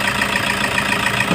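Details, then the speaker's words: Toyota HiAce 2KD diesel after injector work with the injector codes input, including cylinder 3. Even, steady idle clatter with no knock or stumble; the engine now runs well, misfire resolved. "yan yan Okay na siya guys ganda na ung takbo"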